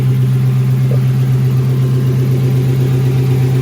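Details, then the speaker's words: Lexus SC400 V8 started after coolant reservoir replacement: smooth even idle with no knocks, ticks or squeals, no dash warning lights; running normally. "All right, y'all, we running. No light on the dash. We good. No lights on the dash. We up and running."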